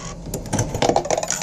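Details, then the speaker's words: Slot machine from a storage locker, Chinese-labeled, powers up and clicks: casino tokens rattle and clink straight through the slot with no catch or register click. Coin mechanism not accepting tokens. "it's full of these tokens like you know boss casino coins I guess so you put them in they just fall straight through"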